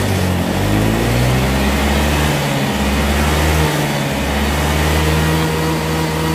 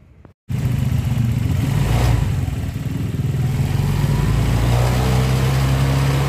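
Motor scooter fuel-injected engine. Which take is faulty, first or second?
second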